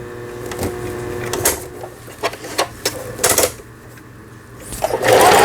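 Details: Juki HZL-series household sewing machine after repair of feed regulation cam and bobbin case, post-repair stitch test; short runs of quick even needle ticking as pedal is pressed, no knocking or grinding, stitches normally.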